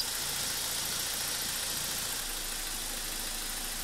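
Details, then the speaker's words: BMW E46 316ti N42 engine just after timing chain, guide rail and front main seal replacement, engine on support bar, not mounts: even hissy idle, no chain rattle, steady tick; brief VANOS hesitation, probably as solenoids fill with oil, then runs nicely. "here we can hear the vanos so we have some hesitation probably because Vanna solenoids are not full of oil yet but now it works nice"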